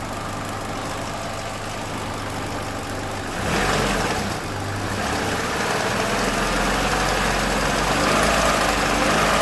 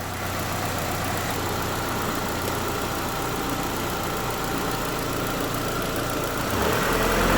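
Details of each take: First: 2007 Chevrolet Lacetti 1.8 L at idle: idle shifts as the intake flap electric/vacuum valve connector is refitted, then a light regular metallic rattle returns; intake manifold length-changing flaps chattering. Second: Chevrolet Lacetti 2007 1.8 L, cold engine, after fixing tapping intake manifold flaps, run with the valve connector on and off: even, steady idle with a soft regular beat and no tapping; works fine.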